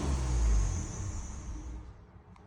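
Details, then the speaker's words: 2012 Ford Fusion 2.5L, no codes at first, MAF reading 0–0.01 lb/s near 2,000 rpm: engine rumble sags and fades after throttle release until it stalls, also dying on slow throttle; stalling on throttle release from low MAF reading. "stalls hit in the gas slowly and it just died oh instead of hitting the gas slowly we'll give it some RPM and now it I'm hitting the RPMs and it wants to die"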